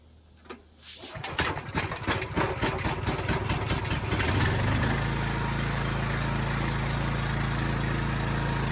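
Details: Honda GX390 engine on a Kärcher pressure washer, after cleaning the carburetor for flooding and fuel leaks: a few pull-start chugs, catches within a second, then runs smoothly and steadily. Normal running.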